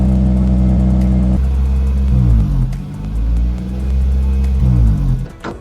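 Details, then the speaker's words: Toyota Celica with 2ZZ engine, before the idle air control valve cleaning, exhaust also leaking from a rust hole. The idle surges between about 1800–2000 rpm, drops to 1000, and swings back up repeatedly. The owner suspects a dirty or failing IACV. "so the s has this issue of revving High it actually bounces between 1,800 RPM 2,000 RPM and then it just drops back down to 1,000 back up to 2,000 it's really frustrating it's actually heaps embarrassing in traffic"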